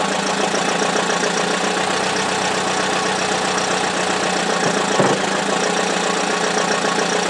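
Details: Buick run with no oil and no serpentine belt on a cold icy day; harsh busy metallic rattle over steady idle, owner suspects the oil pump gave out.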